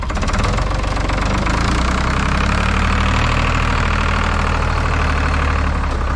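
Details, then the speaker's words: IHC 844 diesel tractor at idle on a cold day with a replacement muffler fitted. A steady, deep, hollow droning exhaust note that sounds wrong or strange. Odd exhaust note from the replacement muffler. "man ganz bisschen hört man manchmal was aber das klingt falsch oder komisch das klingt komisch genau das klingt einfach komisch"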